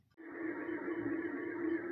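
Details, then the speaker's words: Ceiling fan before its bearings were replaced: a steady droning hum with a rough, hissy grind from worn motor bearings. "sonido que escuchamos es típico de rodamiento es con problemas"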